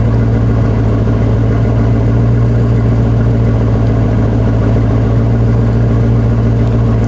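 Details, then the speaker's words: Maserati Quattroporte on a road test after its misfires were fixed; even, steady low engine drone with no stumbles or skips; smooth running. "that is just silky smooth now I'm beautiful little misfire is gone it sounds beautiful"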